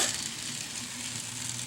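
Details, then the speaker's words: AHM GP18 model locomotive, long-stored, after wash and lube, on test track: faint even motor hiss and gear whir, running well though slightly jumpy at low speeds, possibly still breaking in. "look at this little jumpy at low speeds but that could be she's just getting broke in real good"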